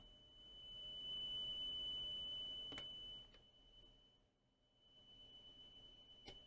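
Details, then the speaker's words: Coomber 393 language-teaching cassette recorder bought as not working. A test tape plays a high-frequency tone while the head azimuth screw is turned, and the tone swells and fades: azimuth adjusted for peak treble output. "we can adjust the azimuth of the head with that screw this is It's a flat head with a cross head on it so using a nice high pitch frequency you can hear it the other going in and out"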